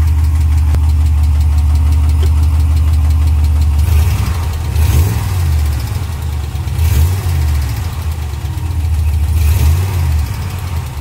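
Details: 2020 Ram Hemi with 12,450 miles, remote cold start after sitting about two weeks: steady low idle with fast uneven tick about three to four per second; first occurrence, gone on restart a minute later; suspected lifter tick, cause unknown.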